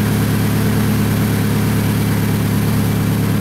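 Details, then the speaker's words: Toyota Camry idling in the shop after timing belt replacement, smoking after a first start believed to have flooded it: loud, steady idle with a deep, even puffing chuff underneath, from an exhaust leak. "because of that exhaust leak I'm not getting I'd be a little worried"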